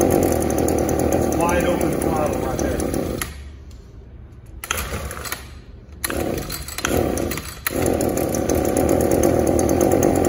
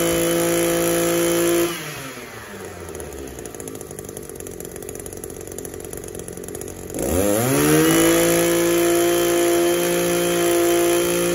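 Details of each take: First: Echo SRM280S string trimmer, small two-stroke, won't rev up; spark arrester screen checked, carburetor seems okay, new plug fitted. Before repair, it buzzes unevenly and drops away rather than climbing, bogging from a clogged catalytic converter. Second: Echo SRM-280 two-stroke trimmer after cleaning its clogged catalytic converter, warming up: idles better, then snaps cleanly up to a steady high scream without stumble or bogging; revs normally after repair.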